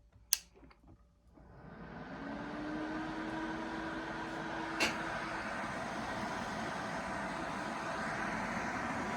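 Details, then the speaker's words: ACMEMATION 120mm PWM case fan (2700 max rpm) on a Corsair XR7 240mm radiator, one fan spinning up to full speed at 12 V actual, about a foot from a decibel meter; steady even airy whoosh, faint low hum. "So let's get the sound profile of one fan at full speed."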